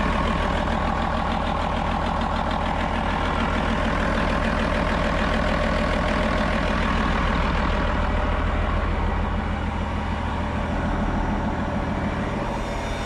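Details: 8.3 Cummins road grader diesel idling at about 25 psi oil pressure after pump drive removed from crankshaft rear: steady low beat, dull knock beneath; owner suspects gummed injection pump with non-working advance causing weak delivery and hard starting.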